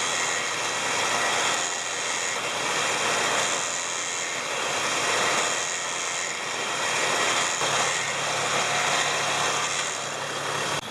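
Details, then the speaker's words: Smittybilt winch on a Jeep TJ with the engine running, after its clicking solenoid problem was fixed by re-routing the ground to the fender: steady airy motor whir reeling in cable smoothly, no clicking or stalling. "so now it works flawlessly"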